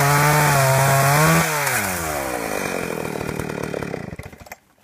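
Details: Husqvarna 61 chainsaw at high revs suddenly sags and stumbles into uneven popcorn-like pops as it dies; loose kill-switch wire bouncing in the case and shorting, cutting spark intermittently.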